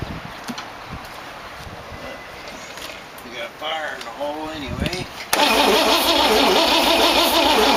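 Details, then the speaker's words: 1914 Dodge Brothers rat rod with a 1962 Oldsmobile 392 V8 and Hydro. Short, uneven cranking bursts that never run; it kicked back and shot flame out of the carburetor, with the timing suspected way off. "i was kind of hoping it would start but no cigar well bonehead mistake i put the firing order on here clockwise full forward hangover distributor turns counter clockwise"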